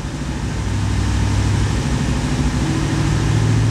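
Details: 1991 Corvette ZR1 with LT5 V8: rough, stumbling idle with the secondary injector system engaged; scope shows one or more shorted secondary Multec injectors causing the misfire.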